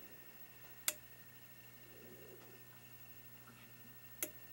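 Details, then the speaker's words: Protek 3003 30V 3A bench power supply, repaired for a cracked PCB and two bad 2N3055 transistors: two crisp clicks a few seconds apart over a faint hum as an internal relay switches in around 15 volts while the voltage is raised, normal. "if you listen to it right about 15 volts there's a relay that clicks on to do something"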